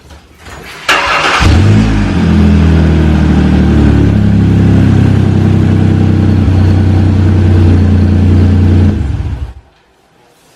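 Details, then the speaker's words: Car engine cranks, catches and idles with a loud, raspy, deep putter from an exhaust leak, a big hole in the flex pipe of a dual exhaust, before wrapping repair. "hopefully I can get this thing to shut up but it's really really noisy matter of fact I can even store it for y'all to get y'all a demonstration of how loud it"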